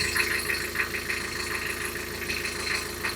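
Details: Isuzu Marine IM4LC38 narrowboat diesel at about 3997 hours, idling after an oil and filter change with good oil pressure: steady idle with an even beat of about 200 per minute, no knock or rattle. Normal idle.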